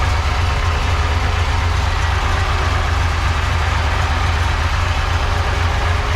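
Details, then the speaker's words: Supercharged 1976 Corvette Stingray, first start after sitting for years. A steady deep idle rumble has a faint rushing noise and a buzzing on top, showing a noisy supercharger; little boost shows on the gauge. "well it's alive that was shockingly easy oops supercharge Char is noisy"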